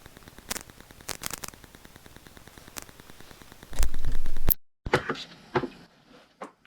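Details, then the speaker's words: Rode Videomic Go giving irregular sharp pops and ticks, several per second, in quiet moments while recording in a rural church with no Wi-Fi nearby; masked once the band plays. Microphone popping noise, cause unknown. "So no Wi-Fi anywhere in the vicinity, and you'll hear this constant sort of popping. Once the band gets playing, you don't hear it, but certainly in all the quiet spots and while people are talking."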